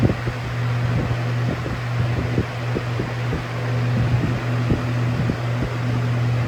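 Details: Lasko Air Flex box fan with full-sized Macmillan motor and Weather Shield blades: steady low hum with irregular fluttering rattle as it buzzes on its foot; normal, motor makes vibrations and humming.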